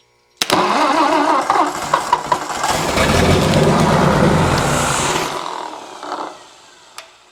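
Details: 1964 Ford F250 with 223 engine, started off jumper cables: several seconds of cranking before it fires, then an uneven, lumpy idle that fades and shuts down. Owner notes messed up compression, but it runs.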